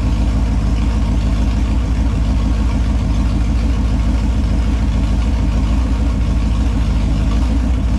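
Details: Holden 253 V8 on a bench test stand after freshen-up (new main and big-end bearings, honed bores, new rings, Yella Terra heads, timing chain, gaskets), on petrol: deep, even burble, steady and smooth, no knocks, ticks or leaks; normal idle and revs.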